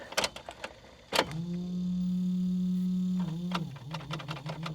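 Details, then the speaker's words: Abandoned Geo Metro convertible, key on: steady low electric hum of the fuel pump running in the tank for a couple of seconds with clicks, but no cranking follows; starter doesn't engage, wiring previously tampered with. "oh so no starter huh that's that's a real shame I was hoping that this was at least going to crank over for us but it doesn't seem like we're going to get any luck from this one"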